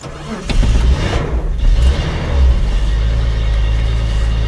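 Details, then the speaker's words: 1976 Datsun 280Z 2+2, original Bosch electronic fuel injection, cold start at about 35°F with a cheap replacement starter: slow, labored cranking about two seconds, then the engine catches and runs steadily. Slow cranking from weak starter. "the starter I bought a el Cheo starter for this car when I was getting it you know ready to run out of the junkyard so it's a little sluggish and cold weather"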